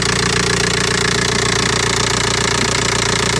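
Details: Audi A4 diesel after auxiliary belt and tensioner replacement, started with a boost: steady, even diesel clatter at idle with a regular pulse and no knocks, squeals or belt chirp; healthy running.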